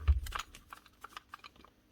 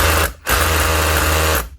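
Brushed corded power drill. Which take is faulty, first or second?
first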